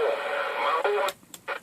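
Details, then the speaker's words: JC Penney 981-7503 23-channel AM CB radio under restoration, set on channel 9: receiver hiss cutting out and crackling back in irregular bursts because the dirty channel selector switch makes intermittent contact, though it still works. "channel selector is intermittent. It's dirty as all get out. But it does work, so let me get to it."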